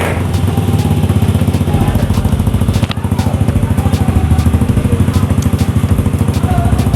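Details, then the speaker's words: Old carbureted Honda Vario 110 scooter that stalled and wouldn't start, running after starter replacement: even, steady small-single idle; the fault was a weak battery. "oke teman-teman Bisa denger ya motornya sudah hidup ya jadi permasalahannya disini teman-temannya untuk motor ini adalah aki yang lemah Ya"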